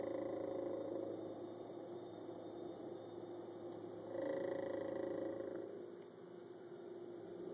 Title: Miele fridge noise